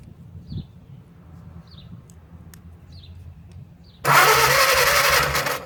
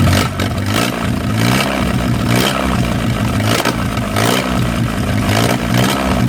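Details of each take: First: Old 4-cylinder flathead (1937 Willys) generator engine sat outdoors 15–25 years, cranked with ether and no carburetor: quiet ticking then short burst of starter churning that never fires; no spark, suspected dirty points or battery connection. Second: 1937 Willys four-cylinder flathead generator engine, revived after 15–25+ years sitting outdoors, running steadily after spark plugs were pulled and checked; low throb with light clatter rising and falling as it is revved, keeps running on its own. Water pump sticky, cooling system still unrepaired.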